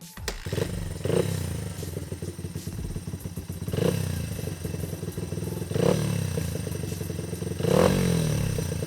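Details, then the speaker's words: Honda XR80 dirt bike after a carburetor rebuild with the pilot jet changed from 35 to 38: no more bog down low, but the engine pulls, drops off and pulls hard again in waves through mid-range; owner suspects the needle needs adjusting, feels slightly rich. "So she runs really good down low doesn't bog anymore, there's just a little bit of hesitation like mid-range You can hear it. It'll pull and that will drop off and that'll pull hard again."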